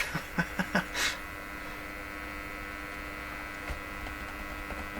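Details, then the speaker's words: Stromberg Carlson 561 tube radio tuned to 600 during final testing after a tube swap: loud steady mains hum/buzz from the speaker after handling knocks; owner wonders whether adding a ground caused it. "So I hear the popping, the motor boating, and then there's a slow rise up and down. too."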